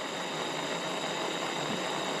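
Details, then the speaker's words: Gas pressure lamp (1920s AGM American Ready-Lite table lamp) relit after sitting dormant for ages, burning bright with a steady, even hiss and no sputter or popping. One mantle puffed out less, possibly from slight air tube restriction. Normal burning. "This mantle didn't puff out quite as good as the other one. It's like there might still be a little bit of restriction in the air tube coming to that side, but it's burning good and bright."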